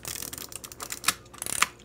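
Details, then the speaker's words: Vintage Kodak Instamatic plastic camera loaded with regular 35mm film: quick bursts of light dry clicks as the advance wheel is thumbed, even and unobstructed; film advancing normally. "I am going to put my finger right here where the film starts going back into the can and test it and it's going great I can see that the film's advancing"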